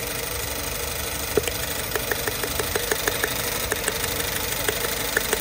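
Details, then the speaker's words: Petrol engine idling with irregular sharp pops and stumbles about three a second; ignition coils confirmed working (cylinders 1 and 4 checked), yet misfire persists, cause unknown. "hear the sound, there is already ignition, so the coils are working, but unfortunately, there is an intense noise in the vehicle. there is a misfire now, there is an atmosphere like this."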